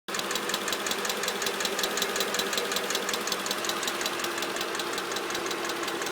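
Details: Mercedes CLK 500 petrol engine at idle: steady, sharp clicking about three times a second over an even idle; cause unknown, owner seeking help.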